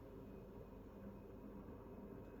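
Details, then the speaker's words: Panasonic FV0811RF2 basic-model bathroom ventilation fan, newly installed in a 1960 house, on the higher setting, spooling up: soft, steady, even whoosh with no rattle, tick or whine; significantly quieter than the old fan, normal operation. "it does take a little bit to spool up I noticed but it is significantly quieter than that old fan that was in here"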